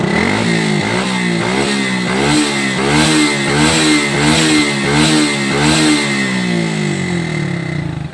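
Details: Honda XRM 125 carburetor single-cylinder after repair for exhaust smoke: quick throttle blips about once a second rise and fall crisply with a clean exhaust note and no rattle; slight smoke remains at high revs from oil residue; healthy engine.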